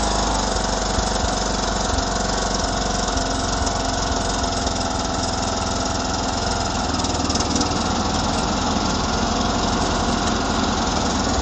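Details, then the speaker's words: 2009 John Deere LA105 lawn tractor after engine maintenance and fuel line and tank purge, deck engaged at low speed: steady, even drone with no surging under load; big improvement, runs normally. "to seems to be a big Improvement just not surging with that deck engaged even at low speed"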